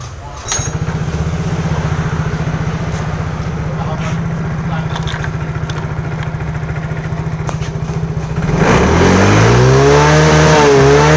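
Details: Yamaha Mio J (Fino) scooter that stalled while riding and showed MIL code 46, idling then revved while charging voltage is checked (12.4 V engine off, 13.8 V running, normal); even putter climbing smoothly in pitch, running normally.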